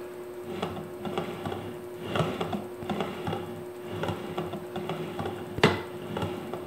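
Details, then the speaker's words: DIY linear rail for CNC plasma table: carriage rolls along the rail with small irregular knocks as the lower tensioned bearings pass remaining nicks in the edge after filing and sanding; too light to feel or matter. "you can still hear if I shut up you can still hear some little Nicks but again keep in mind they aren't going to matter"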